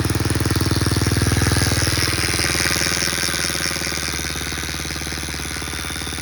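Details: Freshly rebuilt Baja Motors DR50 (Chinese copy of 2002 Honda XR50) single at idle: popping about four times a second with a thin engine buzz riding over it; buzz stops with the clutch pulled in, owner suspects a bent kickstarter pawl ramp dragging on its gear.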